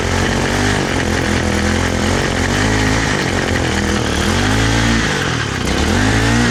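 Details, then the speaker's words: Honda Holiday FG201H tiller engine on a cold day, after a no-start treated with CRC: runs but speed wanders and dips instead of holding; throttle linkage spring pulls the accelerator wrong, throttle fault. "Bhuel mar sin, is cosúil go bhfuil rud éigin aisteach anseo ag an gcuid luasaire seo tá an chuma air go bhfuil fadhb ann"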